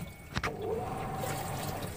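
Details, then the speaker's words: Samsung top-load washing machine during spin: a sharp clunk, then a steady watery whirring hum as the spin brake engages, heard from below the motor; clutch noise. "यह आवाज़ उस समय आया है जब इसका break लग रहा है है इसका आवाज क्लच फैमिली से आ रहा है"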